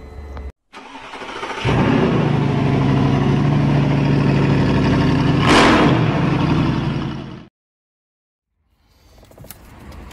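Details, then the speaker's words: Mercedes W211 that had sat a long time, with no scanner communication and the CAN bus reading under 30 ohms (shorted): steady, even cranking at about four beats a second for several seconds, never catching. No-start due to the CAN bus fault. "في شي غلط بالكامبوس. مثل ما حكينا هلا السيارة ما عم تنام، وعطول عطيتني انه في كونتاكت مثل كورشلوس."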